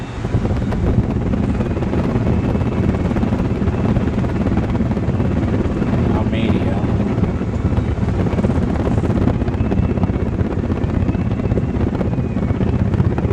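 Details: Vintage Diehl electric fan after fitting a new motor cable and new power cord: steady low whoosh and hum from the blades, no ticking, scraping or wobble; motor runs smoothly.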